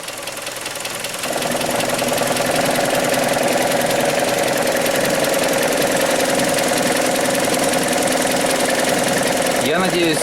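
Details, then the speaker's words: Hyundai ix35 2.0 G4KD, warm engine, timing chain previously replaced: on shifting the automatic into Drive, a loud, fairly regular knock about 3.5 per second rises over idle; source undetermined, piston group or something left unfastened suspected. "надеюсь, хорошо слышен стук. Я, если честно, очень сильно удивлен."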